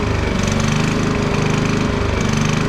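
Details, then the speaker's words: 11-year-old Champion generator, warmed up, with a surging idle: the engine drone swells and sags about once a second. Owner blames a dirty fuel system and says the carburetor needs cleaning again; it was last cleaned about 5 years ago. "Once it warms up, it's a more definitive up and down, up and down, up and down."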